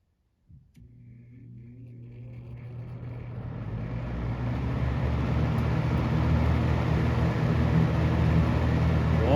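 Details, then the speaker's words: Galaxy 6708 fan whose shaft shows end play needing thrust washers, first test run: quiet start then smooth, even whoosh and low steady hum, no rattle or grinding; runs quietly, bearing problem seemingly solved itself. "that sounds good my curtains are flapping that's quiet dude that thing shut right up"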